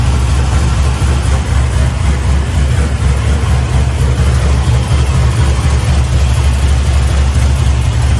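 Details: LS-based V8 shop truck with new Howards Rattler cam and fresh exhaust, warming up: deep idle with a slight steady lope about two pulses a second, smooth and even; normal, still needs a tune for the cam.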